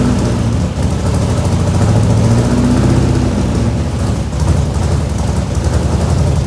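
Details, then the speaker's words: 1967 IH Loadstar 1600 shop truck V8 during overhaul, being tuned to idle: uneven, lumpy idle stumbling and surging; after a backfire, manifold vacuum leak through the carburetor plate gasket, rough idle from vacuum leak. "So, we uh had a backfire. We're getting a manifold leak."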